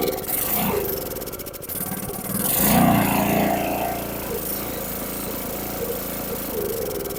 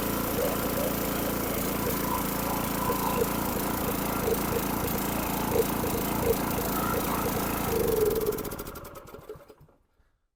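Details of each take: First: Briggs & Stratton 6.5HP engine on a transfer pump, started with temporary fuel line after carburetor cleaning: catches, then surges and sags unevenly, only runs on choke; main jet on bottom of carburetor clogged. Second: Briggs & Stratton 6.5HP engine on water transfer pump after carburetor removal and clean, new jet and air filter, run briefly without water; runs smooth and even then winds down cleanly, normal running.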